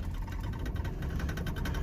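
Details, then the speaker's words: Pickup truck test drive after front wheel hub replacement: steady low road rumble staying even, with no squeak, growl or rhythmic knock from the front hub, only slight brake squeak noted; healthy. "Let's give this thing a little test drive."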